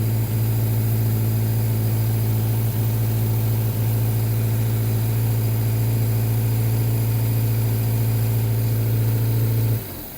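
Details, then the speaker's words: Reliant Regal, cold start on choke: fast, even idle settling smoothly, steady low hum with no knocks or misses; sounds sweet, healthy. "And doesn't she sound sweet?"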